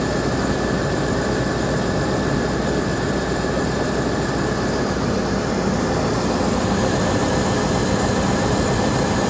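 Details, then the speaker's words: Vehicle at Copart salvage auction, started after sitting with rotten, varnished gas: steady, even idle with a low rumble, no misses, knocks or hunting; runs surprisingly smooth and healthy. "okay i honestly didn't expect it to run that good not at all"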